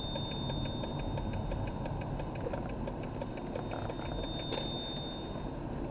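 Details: While driving, LED turn-signal bulbs bought from Amazon give rapid, evenly spaced flasher clicks over a quiet idle, faster than normal, when signalling either side. This is hyper flashing, and a load resistor is needed.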